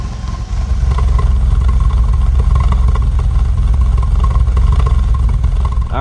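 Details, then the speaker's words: BMW E28 535is M30 six after ignition wiring replacement, fully warm: smooth steady idle exhaust note with no stumbles, where before warm-up it sounded choppy and it previously misfired at low RPM when hot. "so we let the car warm up and good thing we did because before the exhaust did sound a little choppy, but we're looking absolutely great now."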